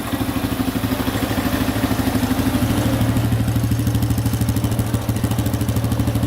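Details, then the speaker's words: 2005 Honda CRF150F single-cylinder bike warming up: steady, even idle with a regular quick thump and no knocks or misses; engine sounds tight and healthy. "that should be warm enough let's see here that sounds pretty good"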